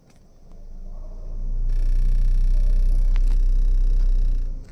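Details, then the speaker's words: Car electric radiator cooling fan run by an actuation test with the engine off spins up into a deep, throbbing hum; the out-of-balance fan causes the vibration felt when the AC is turned on, with compressor and engine mounts fine. "Actuation test मार रहे हैं तो देखिए यहाँ पे vibration भी हो रहा है और ये आवाज़ भी हो रहा है। ये आवाज़ होने ही से समझ में आ जाएगा कि इसमें वाइब्रेशन हो रहा है।"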